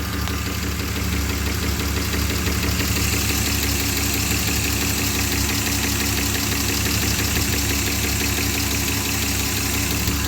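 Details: BMW E34 5 series M50B20 at warm idle; it cuts out and misfires at idle/low revs only when warm. Uneven, lumpy, hunting idle. Folded pipe refitted and new fuel pump didn't cure it; owner suspects the pipe or temp sensors. Rough idle, cause unconfirmed.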